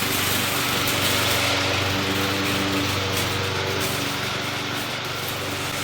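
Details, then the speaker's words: McLane mower, rear lifted so the freshly lubed drive chains freewheel without driving forward: small engine buzzing at a steady high pace with light mechanical whir, speed even; runs healthy, readied for sale. "so doesn't run too bad actually as you guys saw picked up the ass in to uh let the chains kind of freewheel on their own without actually having to drive the mower forward"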